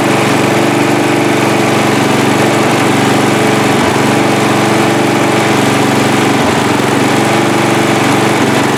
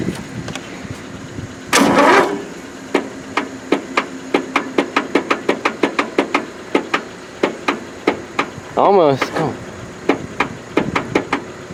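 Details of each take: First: Free riding mower, engine test after gas tank was drained and fuel added; it had been flooding before starting. Loud, even small-engine drone holding steady speed without misses or surging: running cleanly, normal running. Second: Free riding mower, choke on, throttle full, jump-started through jumper cables: slow, uneven cranking with single clicks between, no firing; flooded engine, plug soaked with fuel.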